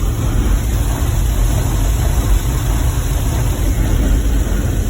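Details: 2010 GMC Savana 1500 4.3 V6 with no-start/no-spark complaint after PCM replacement, scoping ignition module drivers: deep, steady idle with even pulse, nothing irregular; all three driver signals look good, fault not reproducing.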